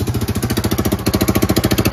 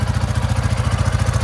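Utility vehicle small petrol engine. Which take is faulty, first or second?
first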